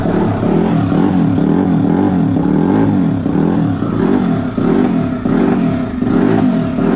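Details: Turbo Yamaha YZ450F dirt bike, newly built engine on E85 with open downpipe: single-cylinder revving and settling over a loud steady exhaust drone, lazy on blips; fuel map too rich, fuel being pulled out as it was contaminating the oil.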